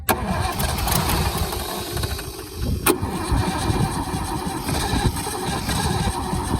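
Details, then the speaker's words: Holden FC with grey motor six, first start in 50 years, starter warmed and dried: starter cranks with uneven chuffing and occasional firing bursts as the engine catches on starting spray but doesn't yet run. "sounds like it's actually going to run"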